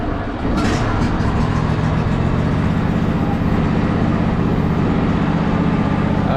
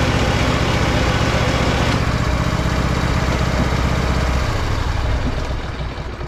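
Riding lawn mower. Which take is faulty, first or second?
second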